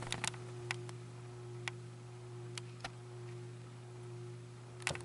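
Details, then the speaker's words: Ceiling fan after a faulty reverse-switch wiring problem was fixed: steady low electrical hum with a higher tone and stray ticks; motor also runs very hot on high, owner suspects shorted windings. "I'm guessing that it's got some shorted windings or something and it still hums as you can hear"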